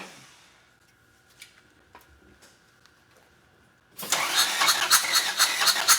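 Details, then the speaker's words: Road-trip car engine, number one cylinder previously damaged: cranks, catches and runs rough with a heavy knock about twice a second despite 40 psi oil pressure; suspected wrist pin, though could be other causes. "Got oil pressure, got 40 pounds of oil pressure with a knock like that. But I think that it's going to be the wrist pin."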